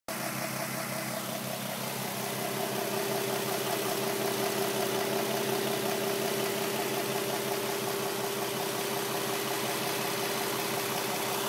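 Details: 2007 Nissan 350Z at steady idle: fast light tick about three a second from the engine bay over the engine hum — engine ticking at idle, source not yet known.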